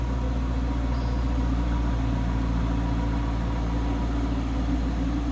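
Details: 2013 Dodge Challenger R/T Classic V8 at 17,704 miles, at idle with no check engine light. A deep, even burble with no ticks or knocks. The engine is healthy and smooth.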